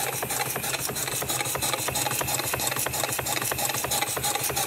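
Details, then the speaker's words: Refurbished live steam engine running on about 10 psi boiler steam. Fast light knocking, roughly three a second, sounds over the busy hiss. The main bearing is worn and knocking and needs resizing. "so knocking your caneer is the main bearing um"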